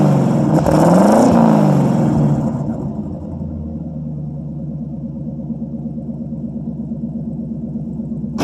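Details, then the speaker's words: 1952 Ford Customline flathead V8, dual mild glasspack exhaust, microphone at the exhaust: a few revs, a deep burble blipping up and dropping back to an even idle. Slight smoke, possibly from sitting; earlier had stuck valves. Normal revving exhaust note. "I'll take and put you guys back here at the exhaust. I'll rev it up a couple times and you can hear what it sounds like."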